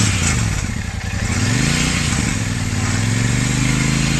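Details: Royal Enfield Super Meteor 650 twin at 12,740 km revving up and down with a loose metallic clatter on the exhaust note; something has broken inside the bend (header) pipe, which is to be replaced.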